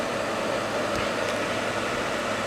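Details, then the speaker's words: Llano RGB laptop cooler at the 1,600 setting, just over halfway, heard against speech from a microphone above: a loud, steady, airy rush with a faint hum and no rattle or ticking. The fans are excessively loud. "So that's 1,600. You can definitely hear the difference between its loudness against my voice with that microphone up there."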